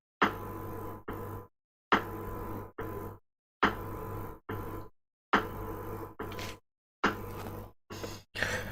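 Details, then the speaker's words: Speaker started faulting while playing music: paired buzzy bursts repeat about every two seconds over a steady low hum, music gone. Internal speaker fault, cause unknown. "this is that speaker so i was listening to music on it and all of a sudden it started doing this"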